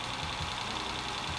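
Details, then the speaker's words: Car that just started running again after a fuel pump replacement, idling. A light, fast tick over the engine note that is still present the next day. The owner hopes valve adjustment is needed rather than an oiling or bearing problem; unconfirmed. "Okay, tick's still there despite sleeping on it. My hope is that the tick is not the result of oiling or bearing issues, but that it just needs a valve adjustment."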